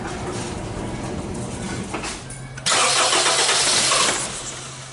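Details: 2001/2002 Honda CR-V with P0341 CMP/CKP incorrect phase code: starter cranks, engine catches with a sudden loud burst about a second and a half, then dies instead of idling; cause suspected, not confirmed.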